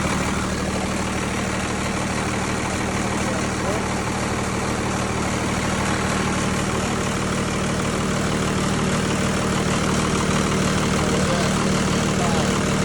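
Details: Tucker Sno-Cat with 5.9 Cummins 12-valve diesel, sat over a month after stalling and would only crank (fuel pickup screen suspected), now started: steady, even idle with a low constant drone, no misses or knocks; normal idle.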